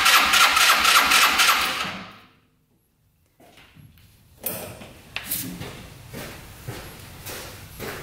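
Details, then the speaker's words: Yerf-Dog Scout 4x2 UTV, sat outside for years: quick even cranking chug for about two seconds, throttle open, no stumbles, during a compression test reading a good 172 psi. "right let's see oh good compression 172. that should suffice"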